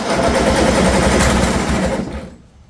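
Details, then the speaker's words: 2007 John Deere Z225 zero-turn mower, after a new Champion spark plug: fast buzzy cranking with a raspy scrape from something rubbing, and no start. The owner reported oil spitting out; valve issues or a blown head gasket are suspected. "Still rubbing. Uhoh, it's not starting."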